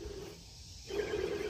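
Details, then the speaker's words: 1987 Jeep Comanche engine running: gritty, growling hum from the idler pulley, owner blames it for much of the rough sound and has bought a new pulley hoping to fix it; worn bearing suspected, not confirmed. "That's causing a lot of that rough sound. So hopefully that pulley will fix that too."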